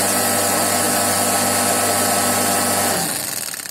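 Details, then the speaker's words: Diesel-fuelled chicken-coop space heater after a blower rotor replacement with sanding to fit, test run without fuel: steady, even fan whir with a low hum and rushing air, smooth and free-spinning, then spinning down; repair successful. "Nah, tep. Nah, itu suara angin tuh. Oke. Berarti sudah berhasil."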